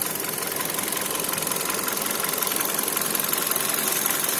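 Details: Kia Cerato 1.6 engine: sharp, regular tinny metallic tapping about three per second over idle; internal knock, owner unsure whether timing chain or pistons, not confirmed.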